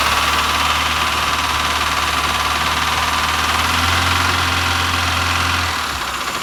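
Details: BMW 2002 carbureted four-cylinder, restarted after its first run in about 30 years; steady, even idle with a faint hiss, no knocks or misses, then it drops off smoothly. Normal idle.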